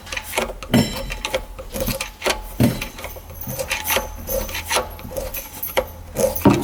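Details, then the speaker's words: 1995 Tigershark jet ski, unused for 20 years, with the engine turned by hand; it is not seized and the flywheel moves easily, while gritty scraping crunches come in uneven bursts from the impeller in the jet pump. Cause unknown; the starter is suspected for the no-start. "Hear the impeller crunching."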